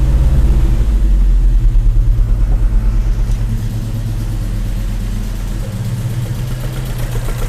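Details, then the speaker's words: Volvo 145 running: a strong, even low rumble that picks up cleanly on the throttle and settles to a steady beat; carbs sound crisp and the engine runs healthy. "oh yes it's running like a cat uh you can you really can hear the the waers I like the sound and uh it's running okay"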